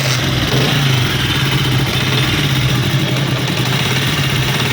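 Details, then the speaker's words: Honda CD70 or similar China-made motorcycle at idle: fast, even tappet ticking from excessive valve clearance, not the timing chain roller. The fix is opening the tappet covers and adjusting the clearance without replacing parts. "अब आपने आवाज़ सुनी है, तो अगर इस तरीके से आवाज़ हो, क्या बोलेगा, पहले मैं कहना भी इसकी टाइमिंग चेन रूलर रबड़ ख़त्म है, इसमें वो नहीं डुलेंगे। लेकिन उसकी आवाज़ नहीं है, क्योंकि इस जैसी रिलेटेड आवाज़ होती है। आपने इसके टाइपेड कवर खोल लेने हैं दोस्तों।"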